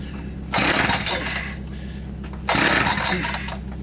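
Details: New Echo 590 chainsaw on its first start, running without bar and chain: a light idle with two sharp bursts of metallic jingling from the clutch, not the pull recoil. Normal clutch rattle without bar and chain.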